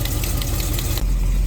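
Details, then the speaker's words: 1936 Chevy coupe hot rod: light quick tapping over a steady idle for about a second then fades; unidentified top-end tick, likened to a tiny tap dancer. "making a weird noise listen to this like a tiny tap dancer"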